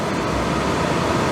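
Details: Suburban RV furnace after cleaning, which before would strike and smell of gas but not light: even, steady rush of blower and burner with no rattles, pulsing or surging, and heat is coming out. The furnace now lights and runs normally.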